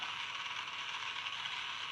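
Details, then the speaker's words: Magic Track toy car struggling to get around its track: fast, dry ratcheting buzz with no steady motor tone, like small plastic gear teeth skipping; owner suspects a slipping or broken gear. "I also feel it sounds like gear is slipping so might have to fix that"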